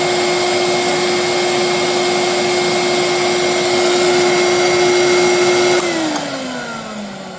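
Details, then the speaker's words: Mid-to-late-1980s Electrolux 2100 canister vacuum, hose and power nozzle disconnected: loud steady single-tone motor whine, harsher than it should be, winding down after switch-off; owner unsure if motor is failing or a louder replacement. "I just don't, that don't sound like your typical old school Electrolux, in my opinion. My Marquee and my Golden Jubilee sounds better than this. And I don't know if the motor's been replaced."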